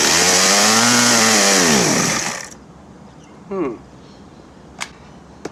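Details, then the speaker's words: Stihl MS-170 chainsaw, 25 years old, refusing to run: howls at high revs, pitch sags and wavers, then cuts out within about two seconds; owner suspects it is running out of fuel. "It sounds to me like it's running out of fuel, because okay, so these are pretty easy to work on."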